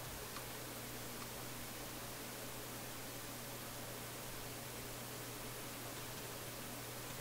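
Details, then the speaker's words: Philips console stereo receiver, tube amplifier, during the hunt for intermittent crackling, on the auxiliary input: steady hiss with low hum, no program audio; noise present even without the rest of the radio working, source not yet found. "Uh-oh. I heard some popping and clicking here. Oh my. What bad thing have I done?"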